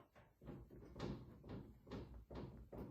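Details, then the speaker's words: 2000 BMW E46 convertible, driver-side front wheel rocked by hand: dull, uneven clunks a few times a second from extreme looseness; worn lower control arm ball joint causing unsettled bump-steer behaviour, arm to be replaced. "if you can hear that, extremely loose. So that constant adjustment of the suspension as it goes over bumps is what's causing me to get all nervous."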